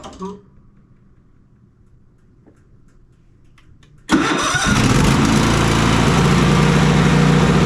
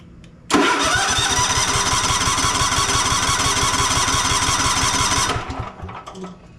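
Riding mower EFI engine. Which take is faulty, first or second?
second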